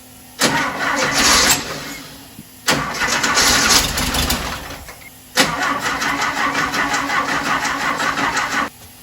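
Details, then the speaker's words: 1968 Porsche 912 air-cooled engine, freshly reinstalled, on its first start attempt. Three cranking bursts that never catch. Owner suspects the battery may be fried and still plans to adjust the valves. Cranks without starting. "the battery might be fried so i'm still gonna go ahead and have to adjust the valves as well"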